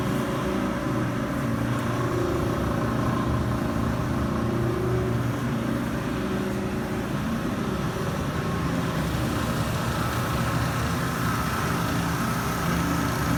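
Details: Panda PAN760SF 3.75 cu ft dryer after replacing the fan belt: steady rough grinding rumble with chattering edge, unchanging throughout; drive motor failure, noise gone after replacement motor fitted.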